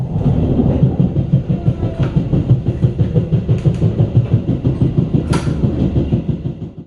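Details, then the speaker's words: Riding brand-new, factory-fresh New Generation passenger coach K1 02417, extra Gambir-Yogyakarta train, April 2024: heavy low thumps about three per second under the rail rumble; rider suspects a flat or dented wheel. "ini di k102417 terdengar suara aneh ya teman-teman seperti roda benjol gini nih Apakah ini rodanya"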